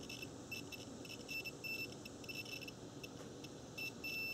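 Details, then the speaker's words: Cooling fan relay test: RC battery pack near 12 V applied to terminals 1 and 2, meter leads on terminals 3 and 5 give high-pitched steady beeps in short bursts; continuity confirmed, relay contacts closing properly. "okay so now we want to see if we have continuity so just take the leads terminals 3 and 5 and we should hear an audible alert and there you go"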